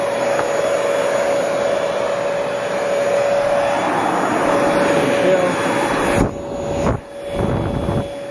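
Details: Small Bissell household vacuum, motor reassembled after running uncovered (warm after use), switched on again: steady even whine, smooth airflow, no rattles, then cuts out; runs normally.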